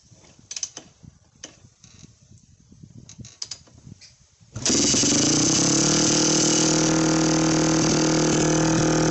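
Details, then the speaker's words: Yamaha WR400F four-stroke single, restoration project, radiators off, running on a temporary fuel supply: after some fiddling it catches and holds a loud, fast, steady idle that never drops; idle may be set a bit high, really loud. Cause suspected, not confirmed. "a might be a bit High still really really loud"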